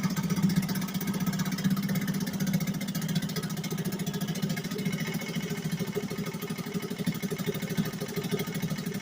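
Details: 1963 Gale-made Sea King 3hp single-cylinder outboard after a new water pump rotor, fired up once more; buzzes along at an even, steady idle with no knocks or misses, running normally.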